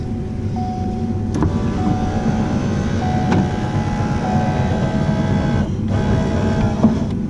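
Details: G-Body (Buick Grand National) door window regulator after anti-rattle mods putting pressure on the gear: steady electric motor hum at even pitch as glass goes down, no rattle or clatter; normal operation.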